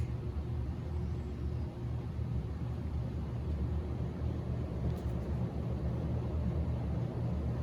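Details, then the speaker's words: Antique c.1921 GE Type AH 52-inch ceiling fan, motor about 65 lb, wired directly without speed control, believed on high; steady even low hum at constant speed, no ticking, scraping or wobble. Normal running. "this thing's no slouch. I mean, it is powerful. And just looking inside that motor, seeing the rotor turn like that is so neat."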